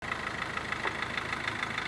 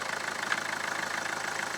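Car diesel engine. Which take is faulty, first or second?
first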